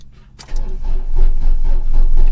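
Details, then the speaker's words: 1994 Volvo 480 ES 2.0 litre project car, long laid-up restoration, cranked on a boost starter with battery clamps just tightened: starter drags slowly and unevenly, labouring on compression; owner suspects battery and boost starter struggling; slow cranking. "I think the uh I think the battery's struggling on the Boost starter"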